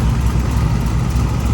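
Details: 1946 Chevy rat rod truck with freshly installed 383 short block (10.5:1, Promaxx heads) replacing an oil-burning 409, new taller valve covers with relocated PCV: deep, even V8 idle, steady low rumble, no ticks, knocks or misses; healthy and settled.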